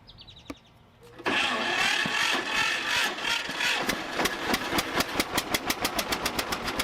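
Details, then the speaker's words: 1950 John Deere Model A sitting about six years, first start after drying wet, flooded plugs: quiet cranking, then uneven popping that builds to a steady slow two-cylinder putt, blowing debris from exhaust, small manifold-to-pipe exhaust leak; rough running after flooding. "you know what they look like they were wet so it was flooded I blew them off put them back in we'll try it again"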